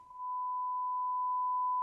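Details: 1965 Magnavox AstroSonic console stereo chassis, brought in for very low output, after recapping with new filter caps and watched on a scope: clean steady mid-pitch test tone, no hum or hiss; amplifier passing signal normally.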